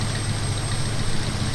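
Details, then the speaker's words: 1994 Nissan 240SX convertible idling: a thin high whistle comes and goes over a steady idle, suspected to be another vacuum leak at an unknown spot. It is expelling coolant (possible head gasket) but not overheating and not smoking. "It's definitely kicking a lot of coolant out, so it might actually have a bad head gasket, but I can hear another vacuum leak, I just can't tell where it's at."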